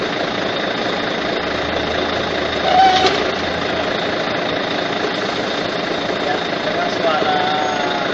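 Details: Volvo truck with the cab raised, complaint of noise at the front of the engine: steady diesel idle with a constant thin whirring whine from the front, still heard at shutdown; fan hub bearing seized, needs replacing.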